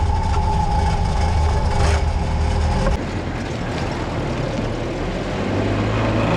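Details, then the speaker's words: Willys CJ-2A with its T-90 transmission rebuilt using the cheapest eBay parts, on the 40 mph road test: steady low cruising drone with no whine, grind or clunk from the gearbox; transmission normal. "It worked totally normally, with no problems or weird behavior at all."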